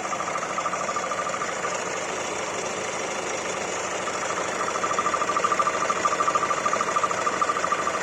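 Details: Hyundai i40 1.7 CRDi diesel at idle: steady rhythmic pulsing, about one and a half beats a second, over a faint high whistle; strange engine noise, cause undetermined.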